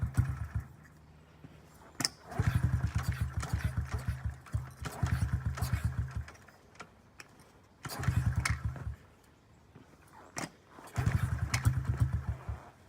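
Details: 2009 Honda CRF50F pit bike, not started in 2 years, kickstarted with choke up: repeated kicks catch into short sputtering bursts that die each time; hard starting because the choke was left on too long.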